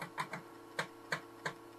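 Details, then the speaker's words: 486 PC floppy drive reading MS-DOS 6.22 boot disk after cleaning: sharp head-step clicks, about six in two seconds, over faint motor hum; a little loud but working normally. "so the floppy disc is working as well it's a little loud but it does work"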